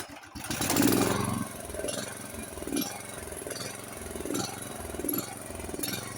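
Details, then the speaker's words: Honda HS1132 snowblower engine before service, not running right. Its speed rises and sags under a second apart and never settles to a steady idle. Engine surging; suspected clogged carburetor idle jet, emulsion tube and possibly main jet, needing cleaning. "You hear that up and down sound? That's pretty common with a clogged carburetor. Carburetor needs to be cleaned."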